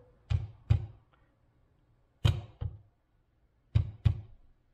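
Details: 2000 Acura 3.2 TL, 625,128 miles, idling rough: deep thumps in pairs roughly every 1.5 seconds, more frequent over days, then check engine light with P0303 cylinder 3 and P1399 random misfire codes; failed coil-over-plug ignition coils (78,337 miles) replaced.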